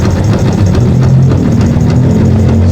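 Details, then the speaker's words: Yamaha FZ motorcycle (green plate) at very low idle after being brought in not starting, now running: loose, uneven clatter over the deep running note; clutch housing suspected damaged, rattles when idle is too low, not confirmed. "Sigurado ako clutch housing na to. Nasira nito. Saka dito may mga kalansing siya dito pag sobrang baba ng menor."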